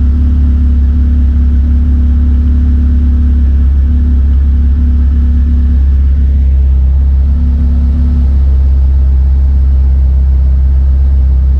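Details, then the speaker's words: K20-engined DC2 Integra racecar at idle after fuel-system fix, Haltech Nexus R3 running fuel pump by PWM under 20% duty cycle; smooth, even low idle with steady deep hum, no misses, whine or knocking, pump barely audible — normal idle. "that work perfectly so as the fuel pump was priming I could hear that it was barely running and as soon as the car started up like I was pointing out on the screen it was in the first cell of the table so it was between 0 and 20%"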